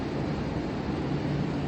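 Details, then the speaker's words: Heard from a rooftop on a hot evening: steady low roar, unchanging in pitch and level, attributed to many PTAC air-conditioning units running at a neighboring building, with some sound perceived from a large school vent; loud HVAC noise. "So, it's a gigantic bowl of sound coming from 670 Pacific right now cuz all the PTAC units are on"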